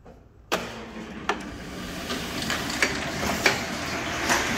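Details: Heidelberg cylinder die cutter Model S 21x28, missing some handles and front cover: starts with a clack, then an even mechanical hum with light irregular clacks as it cycles; runs smooth, gears in great shape.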